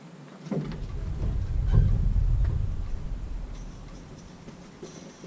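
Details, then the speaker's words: Engine restarted after fixing a grinding noise (bolts secured with blue Loctite, pulley and belt refitted): catches and settles to low even rumble, no grinding left; normal start and idle. "oh I call that a success"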